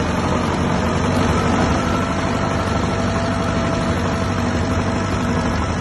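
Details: 1959 Massey Ferguson 85 tractor, not run in 5 years, after new points, cleaned carburetor and new solenoid: heavy steady low chug, even idle, no knocks; normal idle.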